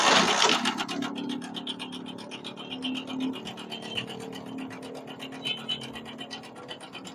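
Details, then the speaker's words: Motorcycle engine with a thin metallic chatter of about four ticks a second over a quiet idle; mechanic says the timing chain and roller/tensioner are worn out. "कितनी सारी आवाज है मेरे प्यारे भाई प्यारे भाई इसकी टमक चैन और रूलर खत्म है"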